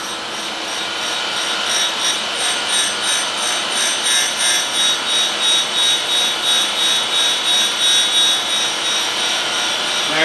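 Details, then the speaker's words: Bushing outer diameter being ground true to its bore on an arbor, dry without coolant; lip runs out about 0.001 in: hissing grind swelling and fading about three times a second, sparking heavy on one side, uneven contact from runout. "Looks like the lip is running out about 1/1000. And you can hear the face of this. It's sparking heavy on one side."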